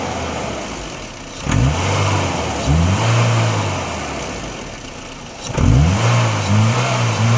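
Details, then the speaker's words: BMW E30 with M10 engine that had severe misfire, shaking and no throttle response after about 5 km of driving; after repair it blips cleanly with an even idle, running normally and stable at all RPM. "Mesin normal, stabil di semua RPM."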